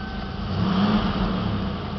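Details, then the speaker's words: 1988 Ford Mustang GT convertible, 5.0-liter V8, 4-speed automatic overdrive, single exhaust, mostly original, just started: deep, even burble with a slight rise and fall in revs; sounds healthy and smooth. "runs very well no complaints it has a single exhaust and at some point i might get that changed"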